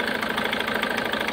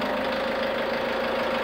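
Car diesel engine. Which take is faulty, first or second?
first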